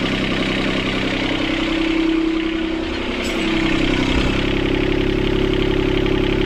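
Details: Sailboat port diesel after repairing four engine mounts snapped by a submerged log. Steady clatter holding a fast, even idle with a constant drone, too high; the throttle cable bracket was bent when the engine jumped forward 3-4 cm.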